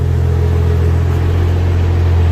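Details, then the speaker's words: Barra-swapped Toyota JZX100 on standalone Barra harness, freshly started for the first time after the swap: steady, even low rumble, no knocks or misses, smooth settled idle; owner says motor sounds mint. Normal idle. "too motor sounds mint oh man I'm excited oh I just can't believe that actually just started straight up"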